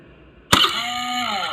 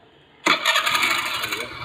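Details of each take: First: Hero motorcycle with new battery, self-start pressed: sharp metallic crunch as starter engages, then harsh grating whirr instead of clean catch; worn starter drive (bendix) gear grinding. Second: Motorcycle electric (self) start: sharp starter engagement, brief whirring crank, engine picks up cleanly with no grinding or clatter; normal start.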